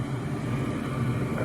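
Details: American Standard gas pack package unit: brief steady low hum from the inducer blower with no rattle or scraping, previous noise gone, fan motor healthy.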